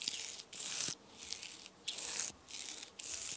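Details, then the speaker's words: Headshok fork damper stroked by hand during teardown for rebuild: hissy, squishing rush from air bubbles cavitating in the damper oil; it needs purging and likely new seals. "it's not it's got bubbles in it so you can hear the cavitation"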